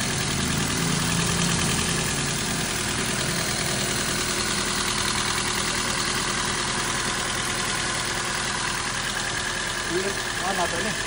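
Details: Toyota Vios petrol engine after its thick oil sludge was cleaned out, first start, still warming up with the aircon off: steady, quiet idle with an even beat and no knock or rattle. The earlier typewriter-like ticking is gone and the oil indicator went out. Normal idle.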